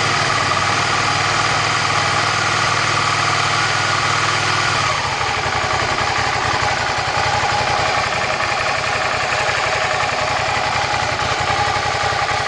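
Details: Cold SV650 V-twin: steady idle, then a loose, uneven clatter rises over the beat after a few seconds. The cause of the noise is unclear.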